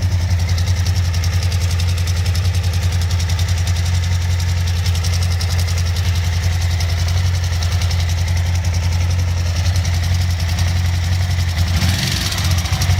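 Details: Suzuki V-Strom DL1000 V-twin: deep steady idle with a fast, light ticking on top that stays with the engine when blipped; source unknown.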